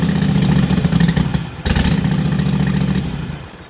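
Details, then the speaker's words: Lawn tractor with new self-welded exhaust, unfinished: small engine idles with uneven puffing chuff each firing, then dies; exhaust leak at front, not the welds but a loose seal where the pipe enters the manifold. "Got an air leak on the front. Because of the welds or what? No. Because it's not a tight seal going into the manifold."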